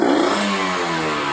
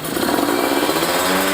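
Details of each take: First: Kawasaki Ninja 150RR, carburettor rejetted after booster/ground cable install: quick blip climbs and falls crisply with no bog; bottom end still very rich (deliberately wet setting) but throttle response feels good, less flooding. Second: Kawasaki Ninja 150RR two-stroke with a booster/ground cable, blipped to 6,000–7,000 rpm: crisp with only a faint stumble, less than the earlier rich setting. The carburettor setting is lean, especially when hot.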